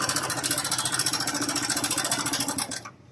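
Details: Fast, even metallic ticking, roughly three or four a second, at idle on a TVS Star Sport single; attributed to a worn cam chain tensioner, which is being opened up for inspection.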